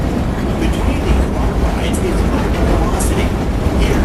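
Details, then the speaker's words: Six Flags Great America coaster train while moving: loud, rough rumbling with constant low vibration, shaking and rattle; something in the running gear seems wrong, cause unclear. "this is really loud it's rough it's like vibrating kind of like a footsie woodsy tray no something's weird about that really all right"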